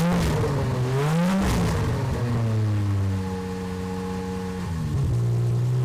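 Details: Aston Martin DB7 V12 replacement engine after first start: revs up and drops back cleanly, no knocks or misses, then settles to steady idle; runs perfectly and eager to rev, oil pressure normal, no leaks.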